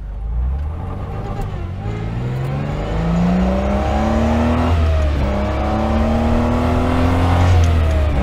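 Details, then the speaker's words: Austin Healey 3000, top down, on-road full-throttle run after fixing sinking SU carburetor floats that raised fuel level: strong, smooth pull climbing through gears under heavy wind noise; engine feels amazing. "that's what I'm talking about oh man I have no idea if you can hear the top is down so the wind noise is probably going to be out of this world but the engine feels amazing"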